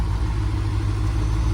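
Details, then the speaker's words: Corvette ZR1 (C4, LT5 V8) idling with a steady, even low rumble and no skips; normal, crisp idle for comparison with a misfiring car. "and now listen to this car it's just absolutely a different sound and that's the injectors that's the only thing different on the car"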